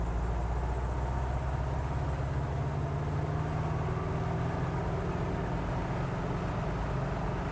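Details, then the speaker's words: Guimbal Cabri G2 helicopter, Lycoming four-cylinder piston engine (up to 134 kW), governor switched on as the throttle is rolled up past 2,000 rpm: a steady, deep drone holding one pitch with no surging or misses, a normal governed run at flight rpm. "Now, I'm going to roll the throttle up. Once we get to 2,000 the governor's going to take over, and the aircraft's going to maintain us at"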